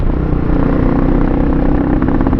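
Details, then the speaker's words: Pitsterpro XTR250 single on its first ride, pulling in first gear: sounds flat and stumbling, not building revs cleanly, bogging down; owner suspects the carburetor needs work or old fuel. "yeah it's bogging down i'm gonna pull into this parking lot and look at it yeah it's on but um it's a stump it's like stumbling a bit in the uh the carburetor"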